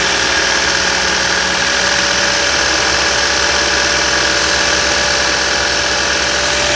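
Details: 2016 Toyota Yaris: steady engine run with a thin whine and raspy hiss on top, at first mistaken for the VVT-i gear but traced to the alternator; alternator noise.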